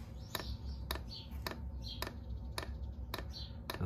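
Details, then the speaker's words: Dosing pump of a 5kW Chinese diesel heater in an underslung stainless box under a Mercedes Vario minibus, with nylon fuel line, about six degrees outside: crisp ticks every half second over quiet hum, quieter than the heater. Normal pulsing. "here we've got the pump running let's have a listen yeah that's fairly quiet a lot quieter than the heater itself"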